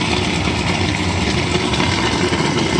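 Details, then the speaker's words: Oversized EG-11 two-pipe steam boiler burner firing with steady even roar, no surging or sputter, just before the McDonnell & Miller #67 low water cut-off is blown down to shut it off; normal firing in a fairly old, rusty system. "we're going to test the low water cut off and this is how i'd advise doing it just open it up burner should shut off"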